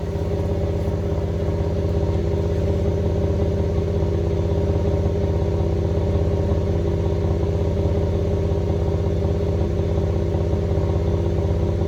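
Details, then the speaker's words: 2015 GMC Canyon 3.6L, coils and plugs reinstalled after dealer-service misfire complaint, recorded at tailpipe: steady even idle, smooth exhaust pulse, no skips once plugs saturated; earlier clear idle misfire gone. Normal idle. "so far she sounds really good i heard the plugs were dry at first and then as they they got saturated per se um now it's running nice and smooth"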